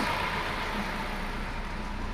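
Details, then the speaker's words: Ford Escort that sat two years, new battery, after initial start-up knock from low oil pressure in variable cam timing system cleared: low even idle hum, no tapping or knocking, running smoothly. "now we started the car for a bit and higher running there's all back in the valve train it runs pretty smooth to convey considering that ad has been sitting for two years"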